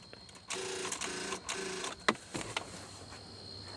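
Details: 2012 Nissan Versa with a no-start complaint, battery around 11.5–12 V after a weak boost: key turned gives rapid dry chattering clicks in short bursts with no cranking, a battery too weak to turn the starter; it started once boosted properly.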